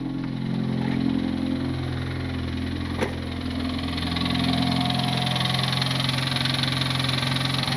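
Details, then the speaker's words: Turbo R18 Honda Civic at idle with the belt off and the alternator not driven (battery light on): steady knock about three per second, still knocking, so it comes from inside the engine; cause unknown. "Oh, come on, boys. Let's do it. Oh, still knocking."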